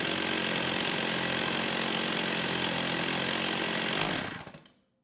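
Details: STIHL 028 AV Super chainsaw, rebuilt with non-OEM parts by an inexperienced person after being run on straight gas, while tuning the low-speed jet from 1¼ turns out. It screams at a high, steady rev, then collapses and dies. The owner thinks it acts like a carb issue, with no crank seals seeming to leak.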